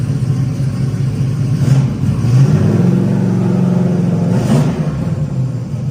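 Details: Truck with earlier no-spark problem, after fixing a loose connector end: engine fires and holds a steady low rumble with a couple of light revs, running smoothly; normal running.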